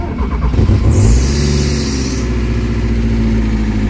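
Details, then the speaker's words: Kia Pride, noisy valve train on start with loud knocking and sudden high rpm; exhaust-side rocker arm hydraulic lash adjusters stuck with no play: loud fast clatter about 3–4 taps a second, valve train tapping. "ang lakas ng P sobrang ingay so pakiramdaman natin yung rocker arm yung ano niya yung andar ng rocker arm"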